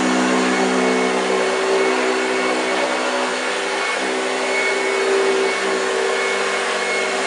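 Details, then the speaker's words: 1965 Hoover Junior 1334A upright vacuum on carpet: steady even motor whir with low growl from the brush, no rattles; running well, sounds a bit dry. "did you hear the growling wow yes fantastic machine she really performed very well"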